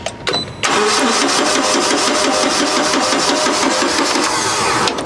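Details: Forklift test start after explanation of the key-switch gas valve feeding the regulator and mixer: a short crank, then it catches promptly and settles into a steady, even idle with no misses. Normal start.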